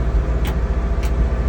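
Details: 1963 International Loadstar truck at idle. Low, even rumble with no ticks or misses, plus two brief wiper swishes; healthy, smooth-running V8.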